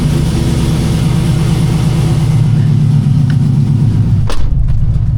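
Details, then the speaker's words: K5 Blazer with 5.3 LS after intake gasket replacement for hard morning starts, cold start after sitting overnight: deep, uneven loping idle like a big cam, though none is fitted; cause unclear. "it sound like it's got a huge cam in it, which it does not."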